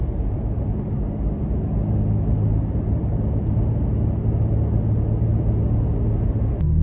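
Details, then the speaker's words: Toyota Tacoma on aggressive off-road tires, cabin recording at about 45 mph on a moderately rough paved road: steady low road roar and hum, no pulsing or growl, normal tread drone. "okay now we're on a 45 mile an hour road getting up to speed our grads me so give you an idea of what you know it's not the smoothest road but it's not as rough as the one earlier"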